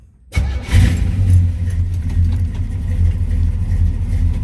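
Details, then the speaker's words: 1967 Chevy Nova SS clone: cranks briefly, catches at once and settles into a strong, even, steady idle rumble with no misses or knocks; good oil pressure, no smoke; healthy start. "Starts right up, no issues. Got nice oil pressure. Everything looks pretty good."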